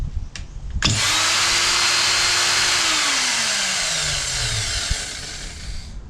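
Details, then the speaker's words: Ryobi electric line trimmer reassembled after gearbox inspection, earlier noisy with suspected bad bearing and power loss: motor snaps up to a smooth steady high whine, then coasts down evenly with no grinding or rattle; spins freely. "a little live test there sounds like spinning absolutely fine"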